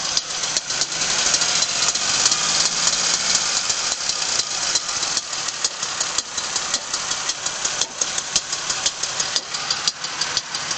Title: Rod Knock From a Factory Remanufactured Engine